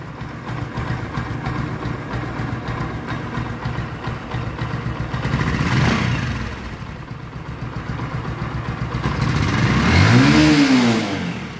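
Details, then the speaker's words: Old Discover 125 single, after repair that refitted the original cam and rocker arms: revs up and settles with an even beat, no tapping or clatter from the top end; sounds perfect. "পারফেক্টের ঊর্ধ্বে যদি কোনো sound থাকে তো এই বাইকটার।"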